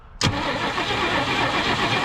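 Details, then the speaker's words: 1965 Mercury Montclair Breezeway, sitting 16 years, first start attempt: starter spins the engine steadily but it never fires; no spark seen, owner suspects ignition not reaching the coil/points; crank, no start. "i don't know if i'm seeing spark or not all right uh one second i'm not seeing i'll see any spark there turn it over again"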